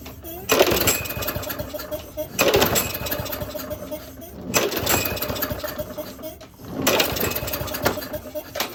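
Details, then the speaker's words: 2011 Craftsman lawnmower 247.371240 after one carburetor cleaning and a new plug, with spark present: revs up and sags back about every two seconds, never steady; hunting blamed on a fuel delivery problem from a partly clogged carburetor. "now I got some spark, but there is still a fuel delivery problem."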